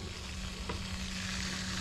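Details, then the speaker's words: CPI 70 cc moped engine (Airsal kit, stock), temperature ran very high: steady low engine hum under a frying, sizzling hiss as the water pump cavitates on trapped air; possible leak at the central head gasket suspected. "Je sais pas si vous entendez, mais la pompe à eau cavite. C'est-à-dire qu'il y a de l'air dans la pompe à eau. Il y a de l'air dans la pompe à eau et donc l'hélice brasse de l'air, brasse du vent."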